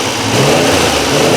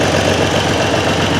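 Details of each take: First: Triumph Trident T160 triple running after a relay mod feeds the Boyer ignition module a full 12 V (previously misfiring, hard starting): catches and revs cleanly with a steady, even exhaust beat; left carb idle circuit still suspect, but idling fine. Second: Triumph Trident T160 triple with relay-fed Boyer ignition on borrowed five-year-old plugs: fairly even idle with occasional uneven exhaust pulses, a slight misfire; owner suspects the old plugs, not confirmed.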